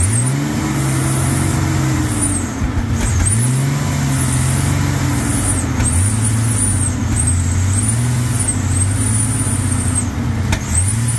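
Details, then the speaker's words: 1999 Ford F-150 4.2 V6 running again after fuel pump, belt and tensioner replacement: deep idle holds on its own with slow rise and fall in pitch; owner notes slight shrieking, suspects throttle body needs cleaning, and needs new muffler. "all right guys I think we need some throttle body cleaner because the thing is shrieking a little bit but it is running it is idling on its own"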